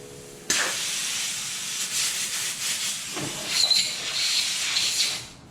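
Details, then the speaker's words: Nissan 300ZX twin turbo boost leak test at 20 psi with blow-off valve vacuum reference disconnected: steady sharp air hiss swelling and easing, only leak heard is the blow-off valve venting. Normal blow-off valve venting. "And from what I can hear, this appears to be the only place that's leaking, which is, again, normal because we don't have our vacuum reference connected."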